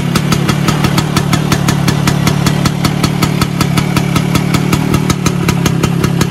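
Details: Vespa PX 125 with 177 kit, restored engine (new bearings, gaskets, piston, rings, lapped cylinder, first-gear parts), first start after a year on 2.5% mix. Steady idle with crisp even firing pulses, about 2.5 per second, no misses. Normal idle.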